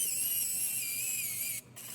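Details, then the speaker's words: John Deere SoundGuard 30–60 series tractor, new fuel shutoff actuator install during key cranking: high motor whine sags in pitch before cutting out; actuator labors against the key's spring section, turned too far, risking actuator burnout. "So now we can hear the actuator's power down. It's cranking, for sure. We got to that spring part of the key."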